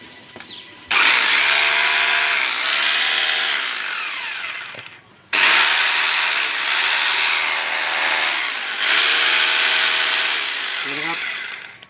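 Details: Rotary hammer drill reassembled after fixing contacts that weren't meeting: three clean bursts, each spinning straight up to an even high whine and coasting down with no cutting out; running properly.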